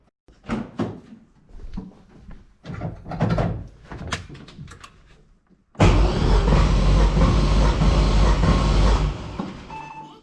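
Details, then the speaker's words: LS-swapped Toyota GT86 compression test after track day power loss, cylinder one: starter spins engine in a smooth, even low churn about four seconds, reading 180 psi versus about 140 before; normal cranking, good compression. "well that's good 180 is definitely a good number so for number one 180"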